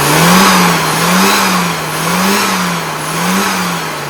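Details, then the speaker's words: Engine after final fuel and needle tuning, running a pink 540: revs rise and fall cleanly about once a second, pickup smooth and full, less hollow than before tuning, with no flat spot. "Can you hear the difference? Yeah, it's less hollow. So instead of going, oh, now it's smoother."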